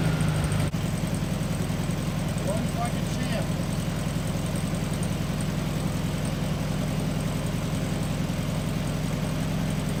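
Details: 1974 VW Beetle (Sunbug) air-cooled flat-four, first run after 30+ years in storage, with a replacement carb, fed from a small temporary tank: brief start-up clatter, then a steady low chatter settling into an even idle; running normally.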